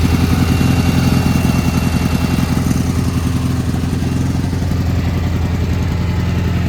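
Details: Gravely G-16 tractor, roughly late-80s/90s, not run in a few years, on its own tank fuel: strong even thrum at steady pace firing cleanly; runs and drives pretty good, smokes a little.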